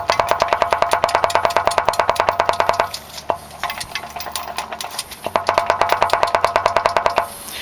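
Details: Subaru 2.5 engine with 208k miles, removed and torn down after replacement: sharp wooden clacks about three a second as the driver's-side rear piston is rocked by hand, stopping when held, from a bad rod bearing with excess clearance.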